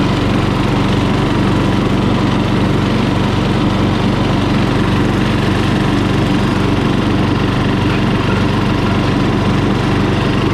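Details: Murray lawn mower single-cylinder engine, just after carburetor cleaning for dirty fuel (float and needle fine), at full throttle: steady, even drone with no misses, surging or knocks; runs smoothly.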